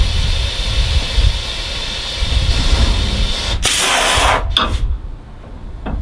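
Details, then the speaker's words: 1984 Peterbilt 362 cabover idling: loud sharp hiss then short spurts as compressed air leaks at the dash control valve after a knob came out too far. "what it came out way too far and it started leaking here"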